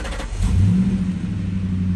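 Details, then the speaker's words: Ford Mustang crank-no-start with flashing security light, after replacing the transceiver (new unit with old cable), testing keys: brief crank, fires within half a second and settles to steady even idle; normal start. "seems good as well I'll try with the first one again this one and I think we are good good to go"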